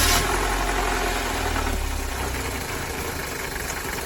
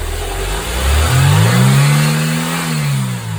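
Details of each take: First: Mercedes-Benz W201 190E 2.0 (M102) at idle with a low, uneven rumbling under the engine note from a belt tensioner at end of life; tensioner, damper, adjuster and belt replaced, after which the noise was gone. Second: Mercedes 190E W201 2.0 (M102) at idle and revving after replacing belt tensioner, damper, fittings and belt that had made a dull noise; smooth idle and even rev, no squeal or flutter, belt not loose.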